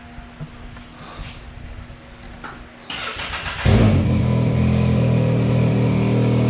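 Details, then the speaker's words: Can-Am X3 XMR with new TCP Mudder radiator and larger fan, warming up after coolant fill: steady, even running, fan kicked on at two bars rushing air behind; no leaks, running normally. "we got up to two bars the fans kicked on that fan is pushing some air it is really or sucking some hair i guess no leaks so far so good"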